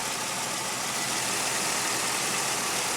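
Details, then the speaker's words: 2001 Pontiac Aztek GT after head gasket engine rebuild, running about 3 months, at first oil change after resetting oil life: even, steady idle with smooth hissy top end, no knocks or ticks; no oil pressure issues, sounds healthy. "okay no oil pressure issues still sounds good"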